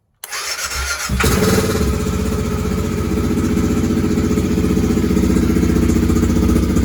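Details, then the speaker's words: BMW F650 GS single, previously bucking and stalling at high speed, after a fuel tank clean, new pump strainer, new inline fuel filter, G650GS Sertao injector and TPS reset: cranks briefly, catches and settles into a steady, even thump; normal start and idle without stalling. "so now I've got the bike running without stalling"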